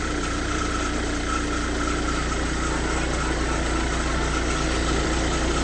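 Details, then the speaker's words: Hyundai Verna 2010 diesel, 1.5 CRDi U1, after Liqui Moly Diesel Purge treatment, recorded from the same spot as before: steady, even idle with a soft low clatter, no knocks or misses, softer than the earlier harsh sound; normal diesel idle. "But idol में diesel की आवाज़ तो होती है, but still कुछ आवाज़ ज़रूर कम हुई है। एक सॉफ्टनेस सी आ गई है जो कि पहले थोड़ी हार्श थी।"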